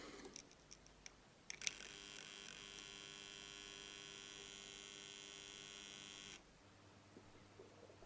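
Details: Hand-wound mains transformer giving a steady, harsh buzz for about five seconds after a few clicks, before repair; the hum is from its windings, and the fix is impregnating it with epoxy and solvent.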